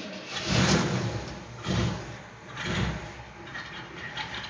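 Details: 1963 Chevrolet Impala SS, cold engine: slow cranking surges about once a second, catching briefly then sagging before it fires; the owner calls the engine cold-blooded.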